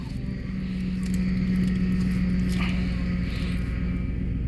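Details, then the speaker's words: 2008 Ford Expedition after power steering rack replacement, engine running while wheel is turned lock to lock to bleed; steady hum with faint pump drone easing off; air still in the power steering system. "all right I still got a little air in there there's going to be a little air as you can see it quieted down the pump a little bit"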